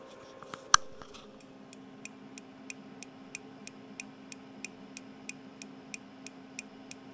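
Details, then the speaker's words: IC-980Pro (Hiroyasu) radio in dual watch on two bands: sharp dry ticks about three per second over a faint hum as the internal relay switches constantly between bands; owner expects the relay won't last long. "The relay is ticking all the time so first of all it's annoying and secondly we leave the radio in scanning in a different mode we listen to two bands so if it has to switch every now and then Unfortunately this relay simply won't last long"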